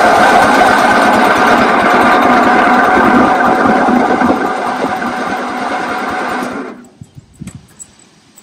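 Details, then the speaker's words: Toro 8-32 riding lawn mower, engine refitted, fuel on, cranked via safety-interlock bypass: steady cranking about three and a half strokes a second, no firing; low compression around 55–60 PSI, carburetor also leaking fuel. "still sounds like we don't have compression okay I don't know if I had the camera on but compression was about 60 55 PSI which is still pretty low"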